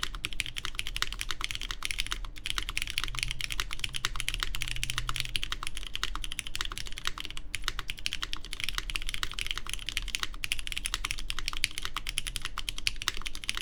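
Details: Baron Boards BP One in gasket mount evenly placed around the aluminum plate, GMK Terminal keycaps, lubed Cherry MX Black Clear Top switches: rapid soft muted clacks, no ping or rattle; judged better-sounding than the stiffer and more flexible mounts tried earlier.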